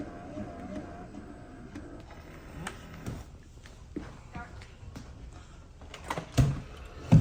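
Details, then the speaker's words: Yeedi robot vacuum on max suction, starting a spot clean: thin high-pitched whine for about 2 seconds, then suction completely dies (in quiet mode it seems not to turn on at all); cause not confirmed. "So it's a high pitched one right now, and now it died. So you can hear that the vacuum started for like 2 seconds, and then it completely died, running in max mode."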